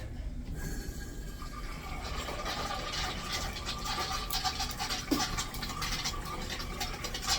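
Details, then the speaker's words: Newly installed urinal flushometer valve, supply valve fully opened: a steady high squeal over the rushing water for the whole flush. Owner thinks it sounds like the handle and plans to take it apart again; cause unconfirmed. "Just gotta look in there and see why the fuck this thing is squealing now."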